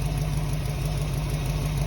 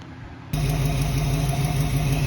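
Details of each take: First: 1968 Ford Mustang V8 just fitted with a correct distributor and coil replacing HEI, test-fired before timing set: deep, even idle burble with a steady pulse and slight exhaust kick, no misfire; idling properly. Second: 1968 Ford Mustang just test-fired after replacing HEI distributor with model-appropriate distributor and coil: lumpy steady low idle with a recurring puff in the exhaust note, a small exhaust kick.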